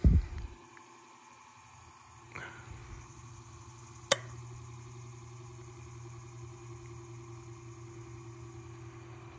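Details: 1924 Emerson 45041 DC longnose ceiling fan, restored motor running without blades at medium speed (hoped about 120 rpm after rewinding more resistance): quiet, steady low hum, no knocks or scraping; normal running, though the right brush was sparking until later flipped.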